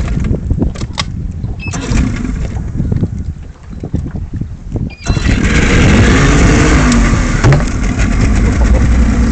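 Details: 1994/95 Mercury 75 outboard cranks, catches and settles into a lumpy, uneven, loping idle, a rough idle.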